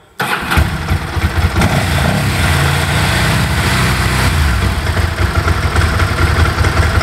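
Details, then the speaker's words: Bimota DB4 ie with Ducati twin, 10k miles, belts done, cold start on choke: catches at once into a fast, even, throbbing idle with a light dry-clutch rattle; normal cold start. "old school got a choke here a fast idol so revits bits off ducati clutch rattle you'll hear that"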